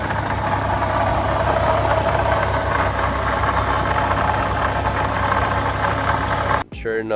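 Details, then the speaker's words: 2014 Ford Mustang 3.7 V6 (S197), about 170,000 miles, idling with a light rough knock and faint grinding from the front pulley area; original water pump failing, a known S197 issue, replaced with the new-design pump. "I saw that the one of the pulce was making noise so these uh s197s are known for the water pump um to fail"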